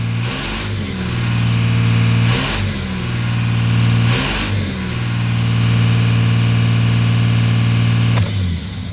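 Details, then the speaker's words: 1998 Dodge Ram 3500, Cummins 5.9 diesel: idle stuck high. Engine started without touching the gas pedal goes straight to 2200 rpm and holds; throttle raises it but it won't drop below. Steady raised drone with brief surges. It began while driving on the interstate; cause not yet known. "as soon as I start it I don't touch the gas pedal goes straight to 2200 RPMs and stays there it doesn't drop down"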